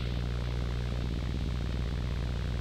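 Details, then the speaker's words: Rode NTG USB-powered microphone with analog output, powered from USB-C charger: steady low electrical hum, buzz and faint crackle in the signal; USB-C at higher amps suspected of bringing more noise. "the USB type-c at the higher amps brings more noise and this is clearly what I see here"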